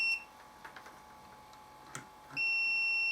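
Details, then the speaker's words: Samick KS10 guitar amplifier on the bench, multimeter continuity test across its internal fuse: short high beep then a clean steady tone, fuse not blown and intact; next step is checking continuity from power cord to transformer primary. "no the fuse is not blowing so that's good"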